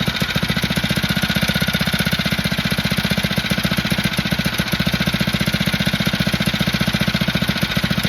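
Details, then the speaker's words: Phatmoto motorized bike small engine after an upgrade for poor idle and 40 mph top speed: rapid, crisp, evenly spaced pops holding a steady beat with no stumbles or misses; now idling normally and working great. "okay so let's turn it on again just just just to see here I got everything on to see as you can see it's working great this time I had the choke"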